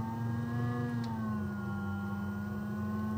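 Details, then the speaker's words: Broad Ocean 240 V ECM multi-speed blower motor, removed from its scroll cage so it behaves differently than installed: steady whir whose pitch slides down then holds as the blower ramps up and down without load. "I just want to show you what it what it sounds like when it ramps up and ramps [Music] down so you can see it's ramping up and ramping down"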